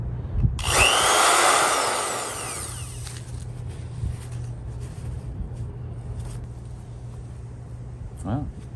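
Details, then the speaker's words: 1980s Skil Model 598 type three half-inch drill after repair with new power cord: loud rush spinning up, then steady low motor hum with no grinding or stutter; runs perfectly. "we have now got a perfectly running 1980s skill model 598 type three half"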